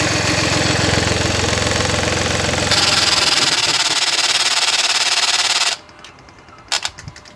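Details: 2015 Mini Cooper Diesel (F56) filmed from outside: the engine runs with an even rapid clatter, then after switch-off a couple of sharp isolated clicks sound from one area; the same clicking also occurs randomly while driving, source unknown.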